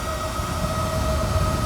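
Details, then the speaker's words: RV refrigerator with side vent in slide-out, stock cooling fan triggered by heat gun: steady loud drone with a clear tone around 600 Hz and its double; the original fan is too loud, later replaced. "that's what this pound sounds like it is and I can lift it up it does get quieter but it's still really loud"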